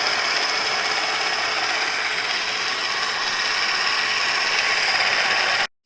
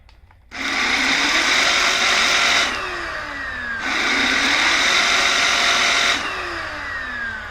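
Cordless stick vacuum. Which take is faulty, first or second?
first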